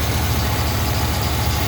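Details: 1976 Cadillac V8 at warm idle with AC on: deep, even idle with a regular low pulse and no skips or stumbles; firing on all cylinders.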